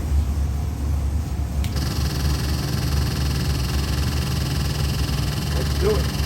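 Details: Ford 7.3L Godzilla crate engine with InnoV8 ITB stack injection, cast iron 6-bolt block, forged pistons, H-beam rods, destined for an AC Cobra replica, on run demo: deep lumpy V8 idle holding steady with even low burble; fresh engine idling normally.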